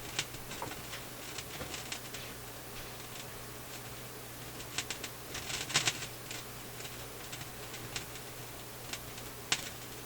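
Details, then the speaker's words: Philips console stereo receiver on full mains voltage while troubleshooting garbled FM: random sharp crackles and pops over steady low hum, irregular and bursty; owner suspects an internal discharge, cause unconfirmed. "Just crackling away. Well, I can complain about that."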